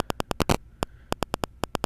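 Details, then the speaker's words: Sharp, buzzy crackling clicks at about ten a second with brief gaps, picked up by a Razer Seiren X microphone near the laptop; caused by interference from the laptop's wireless adapter, gone when the adapter is disabled. "back okay now you can hear with a cracking sound I will disable this device now the problem is solved and the cracking sound is gone"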